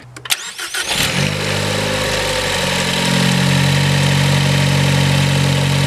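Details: 2018 Ford Focus ST just fitted with a CP-E cold air intake, MAP sensor reinstalled; brief crank, catches and settles into a steady even hum that firms up slightly; clean start, no knocks or rattles.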